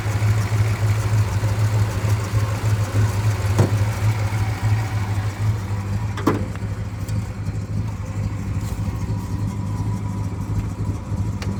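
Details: 1962 Dodge Custom 880, once said to have a cracked block, running after a carburetor prime: steady, even low rumble with no misses, knocks or stumbles; owner doubts the block is cracked, engine runs really good and no longer smokes.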